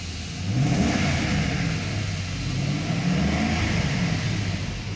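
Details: Mercedes S500 S-Class (2000-2006) V8, crank-but-no-start case with low fuel pressure and both fuel pumps found faulty, fuel pump and filter job. Even note rising and falling smoothly through blips, no stumble or misfire; runs normally.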